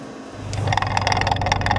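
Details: GoPro Hero3+ Silver on custom tripod-style mount on a truck over rough ground: sharp, uneven clicks several per second over truck rumble; owner suspects the mount, not the camera, unconfirmed.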